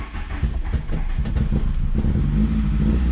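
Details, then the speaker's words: VW Scirocco MK2 ABF engine conversion on rebuilt Yamaha R1 carbs, first start: starter churns briefly, engine catches and settles into a low uneven run; engine starts and runs, idle not yet set. "Woohoo! Woo! Yes, boy, it runs."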